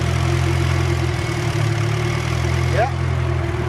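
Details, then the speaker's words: Eclipse 2G idling after a 70 mph drive, newly fitted Mishimoto shroud and twin fans on, heard from outside: steady idle with an even fan whoosh, no rattles or scraping; temperature fell from 120 to 114 in under a minute. "We have 120 and dropping to 115. This is actually on. I can hear it from the outside."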